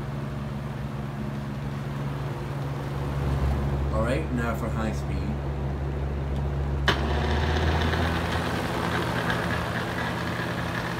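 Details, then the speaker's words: Used Hurricane box fan, running on high speed: steady droning hum with a buzzing rattle. It is very noisy on high; loose blades are possible but the cause is unconfirmed. "as you can tell it's definitely pretty noisy on high speed which is why I wouldn't even use it on highs speed to keep it but if it's so noisy"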